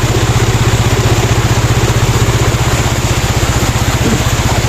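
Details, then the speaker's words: Yamaha Mio Sporty scooter, single cylinder, rebuilt with a 54mm touring set and ported intake, at idle: even quick thump, no knock or rattle. "Okay na, gumana na."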